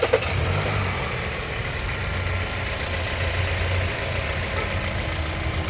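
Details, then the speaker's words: 2017 Kia Sorento after new EverStart Platinum AGM battery installed: quick crank catches right away, smooth even low idle with no knocks, misses or squeals; normal start and idle. "There we go, start it up, purrs like a kid."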